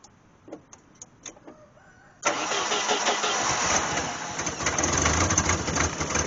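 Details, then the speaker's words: 1988 Jeep Wrangler 2.5L four-cylinder, cold start at about 43°F with new plugs: cranks, catches and runs a ragged, lumpy idle on only two cylinders; the rear cylinders are not firing; ignition timing suspected. "I would say that's no better so we're still not figh on those rear cylinders"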